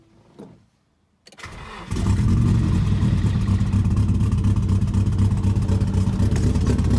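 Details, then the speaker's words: Nissan S14 SR20, previously a non-runner, after fixing fuel lines fitted backwards, new spark plugs, fresh oil and priming the fuel pump: a few quiet seconds, then it catches and settles into a steady, even idle; normal start. "So the fuel lines were on backwards."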